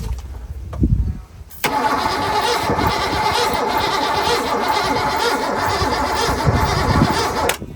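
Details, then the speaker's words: Fox-body Mustang 302 5.0 V8 revived after sitting 20 years, ground wires missing: catches on first crank and runs loud with a lumpy, irregular idle like a misfire; cause suspected, not confirmed. "why does it sound like it's like misfire it'll be a good 302"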